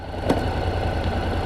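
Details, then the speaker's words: 2019 Honda NC750X with DCT gearbox at steady idle: shifting from neutral back into gear gives one soft clunk, the normal engagement noise of the dual-clutch transmission. "But I don't know if you can hear this, but if I go into neutral a minute, can you hear this clunk when it goes into"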